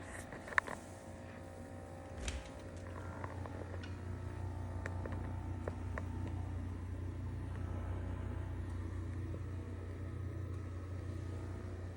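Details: GE Monogram wine refrigerator running with a loud, steady low rumbling purr and a few light clicks early on; owner says the maker denies it warrants replacement.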